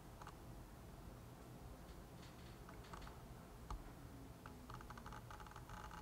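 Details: Sigma 18-35mm f/1.8 lens on a Canon EOS Rebel SL2 with Dual Pixel AF, recorded on internal microphones and a BOYA mini shotgun mic, manual sound level: faint brief whirs and soft ticks as focus shifts; normal autofocus noise.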